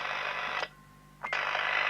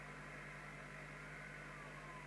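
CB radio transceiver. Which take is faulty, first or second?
second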